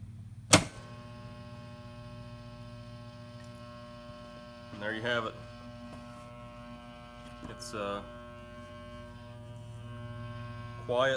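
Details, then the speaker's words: Cutler Hammer CN35NN3 contactor, previously noisy with lots of chatter, after repair: a steady low mains hum with no chattering buzz, just a few brief handling knocks; the contactor pulls in quietly, as good as new. "keep that rolling there so we can see if we watch a button here on top you'll watch that that's that magnet pulling that iron core that steel down"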